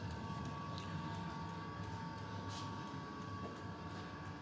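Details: Custom Webasto water heater and Chinese diesel heater hybrid, about 5–7 minutes on heat setting 4, radiator bottom 56°, burn chamber warmest; quiet steady roar with faint constant whistle, no surging or popping; burner running normally.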